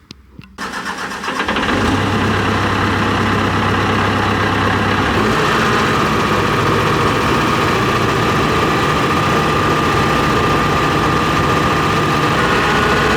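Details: John Deere 245G excavator diesel after emissions delete, all injectors connected: cranks, catches, settles into slightly harsh idle with regular knock; number 3 injector suspected over-fuelling, causing black smoke under load, confirmed by unplugging it before replacement.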